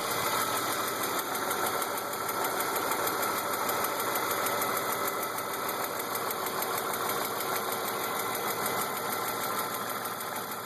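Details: BMW E36 328i M52 at 175,000 km, with M50 intake and M3 headers/exhaust: light, quick tick under a smooth idle. Oil, sensors, injectors, lifters, tensioners, upper chain and VANOS seal were replaced and oil/fuel pressure checked; cause unknown.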